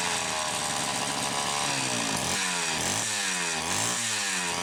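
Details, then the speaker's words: Homelite Super XL chainsaw, first test run after full teardown and cooling cleanup, lots of assembly oil inside: high, raspy buzz with revs rising and falling in quick blips, no misses or knocks; running normally. "Let's give her a test run. I'm cautiously optimistic that this is going to go very, very well."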